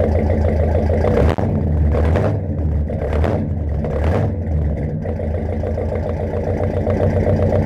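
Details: 1969 Mercury Monterey running for the first time in 16 years: a deep, steady, even idle with no stumbling. The carburetor is not leaking and the engine is pulling fuel from the tank. It runs fine.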